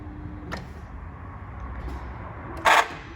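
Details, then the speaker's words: 2008 Mini Cooper S (2nd gen), extended crank and drivetrain malfunction light, throttle body fault codes: quiet cabin then short loud whirring buzz at key-on as throttle motor self-calibrates, louder than normal; faulty throttle body. "now sometimes it when it goes bad it'll be extra loud like in the case on this vehicle right here we're going to cycle the key to see if we can get the noise that happened"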